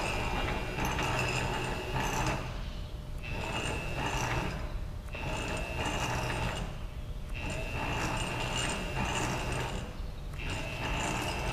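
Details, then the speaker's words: Milling machine power feed servo motor tested both directions: steady motor whir with light gear hum, pausing as the feed stops and reverses; servo working properly, normal power feed operation. "so I think the uh the servo motor is working properly I don't see any issues uh with that"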